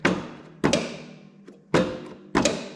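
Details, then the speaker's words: Electric PTO blade clutch on a Toro TimeCutter zero-turn mower that fell off a trailer upside down, tested during repair: four hard, sharp bangs with quick ring-down; a loud bang means a good clutch, while a tiny click means low voltage or a weak clutch. "you can kind of Judge how good your clutches by how hard you hear that bang if you just hear a tiny little click it's either low voltage or that clutch is getting weak"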